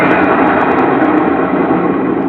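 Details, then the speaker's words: Sharp top-loading washing machine that had hummed without spinning, after repair: steady even motor hum with no knocking, grinding or stalling; running normally. Rough noise means worn gearbox bearing. "Nah oke ya, sudah hidup ya mesin cucinya."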